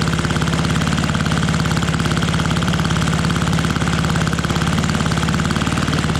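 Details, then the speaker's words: Fiala Valach VM70V1 70cc four-stroke, newly installed in a Hanger9 X-Cub RC plane restrained outdoors in cold, snowy weather, first run with a little throttle: crisp, evenly spaced firing pulses, no skips or rattles; smooth, healthy running. "now this is a four stroke so it takes two revolutions to get to that compression oh listen to that i love it i love it give it a little bit of throttle here so"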